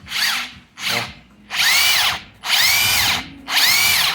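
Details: Makita 40V cordless 3/4 impact wrench after service fixing a roaring, loose-shaft noise from lack of impact mechanism lubrication: old grease cleaned, regreased, new silicone gasket; five trigger bursts, clean high whirr, no growl; runs healthy.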